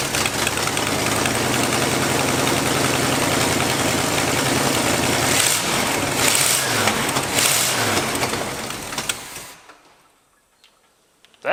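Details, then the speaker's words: 1986 Dodge Ramcharger after tightening the loose, screaming belt and fitting the carburetor return springs: steady, even engine run with a smooth constant note, no squeal or misses; carburetor performing well, normal running. "pretty damn good i'm very impressed by that carburetor"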